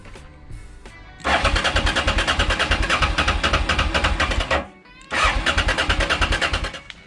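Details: Honda XL650V Transalp after service and a month standing, battery nearly flat: starter churns about three beats a second in two long bursts, slowing, never catches; later found ignition module loose and no fuel in a float chamber.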